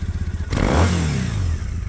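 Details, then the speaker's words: 2012 Triumph Bonneville T100 on stock pipes: lumpy twin idle, one quick sharp rev then clean drop back to even idle; exhaust sounds great. "And for stock pipes, I think they sound great."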